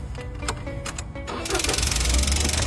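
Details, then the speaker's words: Car engine at start-up, before repair. A fast, light ticking over the idle stops when the canister purge solenoid connector is unplugged; the valve leaks when closed unpowered. The ticking is from the valve, not valve clearance. "发动机里面有哒哒哒的声音，但是我一拔掉这个插头，哎，声音立马消失了。"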